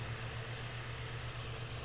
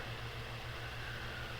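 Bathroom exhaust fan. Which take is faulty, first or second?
first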